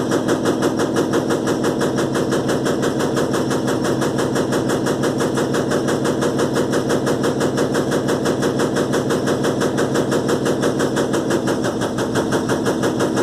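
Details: Electrolux LTE12 washing machine during a suspension test: a fast, very even rattling chatter holds at a steady rate through the whole spin, like loose parts knocking. Cause unclear.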